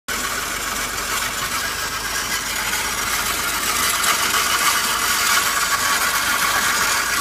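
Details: Fiat 500 engine at warm idle, loose uneven ratcheting chatter about three to four per second, began only once the engine warmed up; cause unclear.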